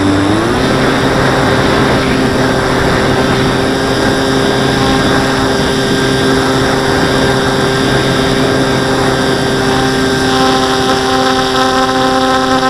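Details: Model plane in flight: steady high propeller drone with faint buzz when climbing or hard banking, like elastic bands vibrating; owner suspects wing lifting from fuselage, wings not visibly flexing; source unconfirmed.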